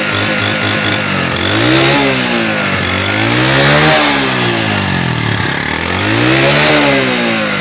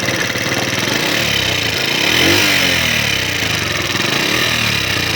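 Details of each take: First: Honda CD70 motorcycle engine after repair (head refitted, tappets adjusted, oil-to-head starvation fixed, no full engine teardown): revs rise and fall smoothly several times, even firing with no tapping or knocking; normal healthy running. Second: Honda CD70 motorcycle after oil pump gear replaced, oil now circulating, running: fast loose top-end clatter about four taps a second from the head; worn rocker arm, also blamed for low power and poor climbing.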